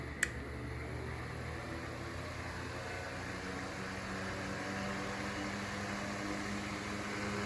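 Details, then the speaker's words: Mainstays 9-inch high velocity fan with shaded pole motor on high speed: loud steady whoosh of air with low hum and a slight rotor rumble, much less than before, no bearing chatter; loud running with slight rotor noise. "Does get pretty loud on the high speed. It's making that rotor sound slightly, but it's still not nearly as bad as it was."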